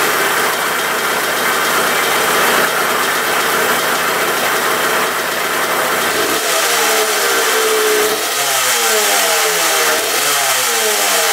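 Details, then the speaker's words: 1980 Suzuki RM125 two-stroke dirt bike, choked, fired on second kick: loud raspy idle with uneven revs, loud silencer, top end slightly noisy, fuel leaking from tank; rough running, though it otherwise runs pretty well. "I think that was the second kick she fired up. She sounds a little rough."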